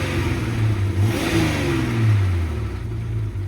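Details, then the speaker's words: Jeep WJ Grand Cherokee Laredo, rusty, fresh battery after jump: engine revs up and settles with rough, raspy low-end pulse from two cracks in the exhaust manifold, yet pulls cleanly; exhaust manifold leak. "And that's with 2 holes that are two cracks in the exhaust manifold."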